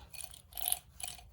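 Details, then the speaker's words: Oil return pump, which also works as a breather, removed from a 1957 Harley-Davidson Flathead Servicar engine during teardown and turned by hand. It gives a soft, even clicking a couple of times a second with no binding; the pump turns freely. "you can hear it working. This is also a breather time system."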